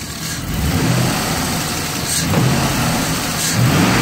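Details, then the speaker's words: 2003 Chevy Express with random misfire and lean codes, fuel pressure about 45 psi instead of 55: engine stumbles and chuffs unevenly under light throttle, mainly cylinders 6 and 8; owner suspects weak fuel pump, unconfirmed. "well there it is number six - refires I really don't know what else to do"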